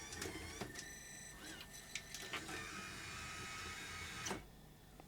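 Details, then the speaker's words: Grundig SVR4004 Super Video Recording VCR under repair: with the 15 V rail restored and held, the play button works; motor whir with light mechanical clicks and clunks as the transport loads and runs normally. "15 volts and it stays on even go as far as getting the play button to work not letting this short to anything"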